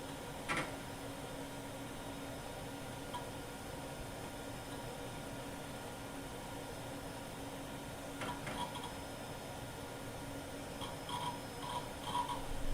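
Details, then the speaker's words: Restored 1993 IBM PS/1 486 DX2 66MHz PC with a replacement 528 MB hard drive, booting: steady low fan hum with a few light drive clicks and seeks; it starts up normally. "Now let's bring it back from the dead and listen to its startup amazing sounds."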